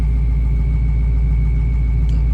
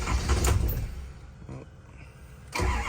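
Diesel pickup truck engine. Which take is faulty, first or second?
second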